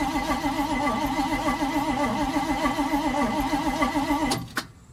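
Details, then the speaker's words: 1971 Chevrolet C40 truck after carburettor cleaning, fuel smelled but no spark: starter churns with an even rhythmic rise and fall, never catches. "It seems like there's no spark. Plenty of fuel in there, because I can smell it, but why isn't it getting any spark."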